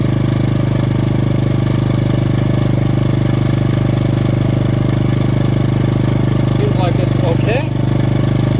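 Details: Ryobi RYi2322 inverter generator with 0.1 hours runtime, after fixing a blocked carb jet: smooth, constant hum with no surging, missing or hunting. Normal running.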